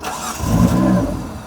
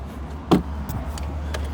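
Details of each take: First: 1995 Mitsubishi FTO barn find not started in 10 years, cranked after the fuel pump primed: a short crank, then it catches with a rising rumble that swells and settles. It starts but won't idle. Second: 1995 Mitsubishi FTO barn find not started in 10 years: the starter cranks steadily for about four seconds with no catch and no pump priming, though the pump has power; the owner suspects a seized fuel pump.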